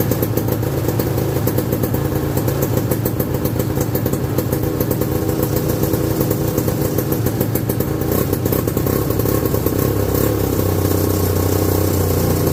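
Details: 1969/70 Sears snowmobile, single-cylinder Kohler two-stroke, sat outside a year, first run after revival: rattly uneven idle, hunting, thin dry crackle; owner says it's sucking air, running lean, not confirmed.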